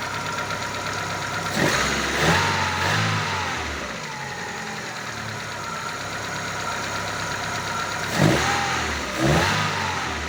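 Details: Daewoo Lanos 1.5 engine after timing belt tension and alternator belt retensioning: blips up and settles back several times, smooth and even with no knock or rattle; runs quietly, healthy.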